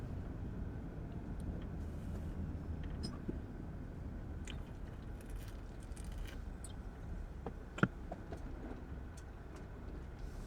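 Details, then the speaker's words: Honda Element driven over bumps and rough ground after replacing both front stabilizer bar bushings, one of which was missing: low, steady road rumble, one soft thump, no repeated front-end clunk; suspension sounds sound. "So just go over some bumps here. Okay, I mean, I don't hear it."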